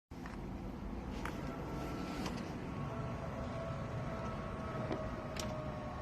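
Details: Audi A4 B7 3.2 starting and settling into a dull, slightly uneven idle over a steady hum; rough idle/start, cause not yet pinned down.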